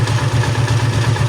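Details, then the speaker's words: TMX155 single-cylinder motorcycle after reassembly fix (sunken gear levelled): regular thump at idle with only a faint light clutch rattle, normal even when new; earlier loud gear-grinding noise, worst in first gear, is gone. "Wala na yung dating parang nagkikis-kisan na gear, yung pinarinig ko sa inyo, no? Na sobrang lakas kapag pinandar mo, lalo na pagka nag-Primera. Yan. So balik na siya sa normal mga bro, wala nang ingay."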